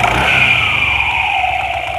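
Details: Yamaha NMAX with a rough noise near top throttle, heard on throttle release; CVT slider found loose. Engine revs down with light metallic clatter over drive whine; noise stopped when tensioner pushed in. Cam chain tensioner rattle.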